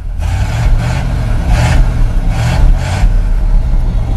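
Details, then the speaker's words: 1969 Chevy dump truck with a 350 from an 85 GMC, RV cam, four-barrel and hotwired high-discharge electronic distributor, first start since July on the same battery: deep rumble with quick throttle blips rising and falling cleanly; starts and revs freely. "now that's a first this truck hasn't been started since July I guess you can depend on your Chevy some days"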